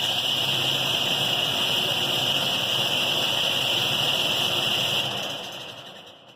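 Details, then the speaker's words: Payne/Bryant furnace PG9MAA060120AFKA right after blower motor replacement: loud steady airy roar with harsh high fan whine, then spin-down after shutoff; blower still pretty loud, new motor did not fix the noise. "I mean, it's still pretty loud."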